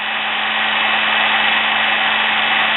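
Steady high-pitched electric whirr with an even hum underneath and no stumbling or scraping; the motor is running normally.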